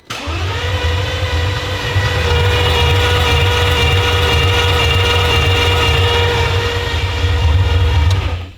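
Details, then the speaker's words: Lamborghini being rebuilt, first start attempt: starter spins engine steadily at a quick even beat for eight seconds but it never fires; owner thinks it may need more cranking, throttle bodies not opening on crank. "Uh 3 2 1. That's different. That is different. So h maybe it just needs more cranking."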